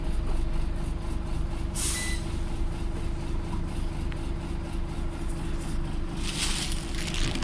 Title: Extremely loud turbo whistle and engine ticking on a Former Go Ahead North East scania solar